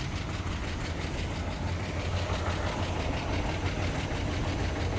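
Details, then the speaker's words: 1966 Cadillac DeVille 429 V8, 3-speed automatic, idling: light quick ticking clatter over the low rumble, steady with engine speed, top-end valvetrain noise; owner suspects poor oil supply to the valves, not confirmed. "like them films clattering you know I might be a oil palm Pennines I still know I might have time to mess with in Iran's and rise pretty just got power and everything I do not think it's getting oil pumped up to the valves enough"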